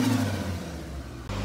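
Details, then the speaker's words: EP70 Toyota Starlet just finished with a turbo upgrade, not yet tuned: after a super-smooth idle, a quick throttle blip climbs cleanly and settles evenly. Normal free revs. "idle's super smooth but the coolest bit of the car is when you rev"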